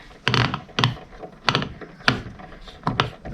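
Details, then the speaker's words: 2008 Polaris Ranger RZR 800 front differential, removed and turned by hand: rough bursts of clunking and grinding about twice a second, binding between them. Cracked case, nearly seized differential. "That's locked up now. locked up. It won't even hardly go. But y'all hear that? That's not good."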